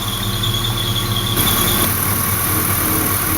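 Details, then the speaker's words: LS-swapped Mazda B2200 at idle, days after an alternator failure: steady high-pitched squeal, louder low near the alternator, from a worn idler pulley bearing; replacing the idler pulley removed the noise. "if you listen I'm pretty sure that squeaking noise is coming out of the idler totally down low right next to the alternator kind of sees where the noise is propagating from"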